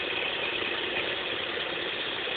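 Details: X20XEV engine at steady idle with a fast, light ticking chatter over it. Something mechanical is ticking, but the source can't be pinned down by ear.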